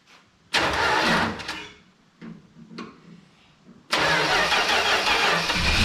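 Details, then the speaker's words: 1968 Dodge Dart slant six, out of a junkyard and stored 18 years, spark confirmed, primed with starting fluid: short, labored cranking bursts with slow, uneven turnover, then a longer crank; engine turns tight. "[Music] Yeah, she she turns tight."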